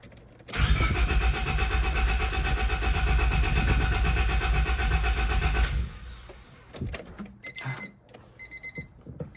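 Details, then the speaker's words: 1999 Honda Civic after a fuel filter change: even starter cranking at about four beats a second for five seconds without catching; crank no-start from fuel starvation. "that lip was so tight on the other one that did not allow for this to seal properly but this is going to be the one"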